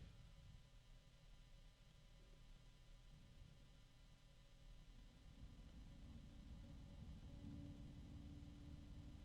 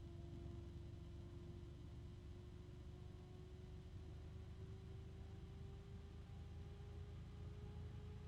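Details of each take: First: Small fan with a quiet airy rush, then an unexpected steady mid-range tone that rises as fan speed rises, audible only with ear close; tonal motor whine where it should be quiet. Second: Fan spinning up to high speed: smooth airflow rumble with a clean hum creeping higher in pitch, no rattle, not too noisy; normal healthy fan.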